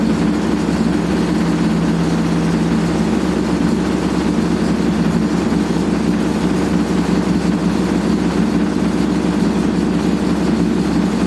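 Loud, constant low roar and rumble throughout the fast spin, the steady drone of badly worn drum bearings.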